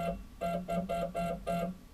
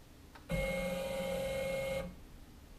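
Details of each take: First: CNC router stepper motor jogging under Mach3 with steps-per-revolution reset to 2000 in metric mode: rough buzzing hum in short bursts, about three a second, sounding more coarse, from a wrong steps-per-unit setting. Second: CNC router stepper after steps-per-unit recalibration and saving in Mach3, MDI rapid move G90 X12.7 mm (half an inch): steady, clean mid-pitched motor tone for about a second and a half; the stepper runs smoothly and accurately.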